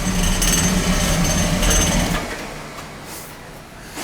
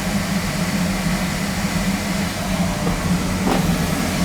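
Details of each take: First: Oil burner running rough, overdue service with overhead oil line: pulsing rumble then flame dies away; fuel starvation suspected from air in the oil pump. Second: Oil burner boiler after new tank filter, smaller nozzle, cleaned burner head and reset electrodes for noise complaint: steady low flame roar and constant hum, no pulsing or rumble; running better, shuts off on limit.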